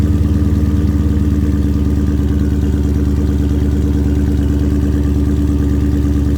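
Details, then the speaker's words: 2019-and-up Dodge Charger/Challenger with active exhaust valves deleted (held open with zip tie or safety wire), so eco mode always sounds open: start-up into a deep, even burbling idle, loud open exhaust note, no knocks or misses. "your eco mode is just always going to be basically your open, what your exhaust is supposed to sound like."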